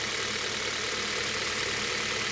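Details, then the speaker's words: Hyundai Solaris 1.4 petrol idles with a steady high-pitched whirring over an even engine beat, plus engine vibration. The owner suspects a pulley, although the tensioner, idler pulleys and water pump were recently replaced. Cause unconfirmed. "Посторонний шум, если слышно. Такое чувство, что шумит какой-то из роликов."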